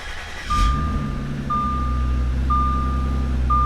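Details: Audi S4 Avant after engine swap, just started, idling after intake runner flaps refitted: four even chimes about a second apart over smooth idle; traction control and stability program fault warnings from a broken steering wheel clock spring.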